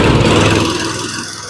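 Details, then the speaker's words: John Deere mower with a Quantum engine started completely cold at room temperature: short burst of a small single-cylinder running evenly and quietly, no knocks or misses; normal cold start. Mower wouldn't move due to jumped drive belt. "now this big boy's got a Quantum engine and she's completely cold right now she's room temperature and I like a Quantum engine CU they're usually the best starting engines out there"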